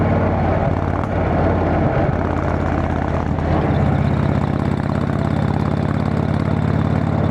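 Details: Motorcycle riding home after failed exhaust gasket replaced, bike still needing a tune: steady even exhaust drone, revs stepping up cleanly, no ticking or puffing; exhaust leak fixed.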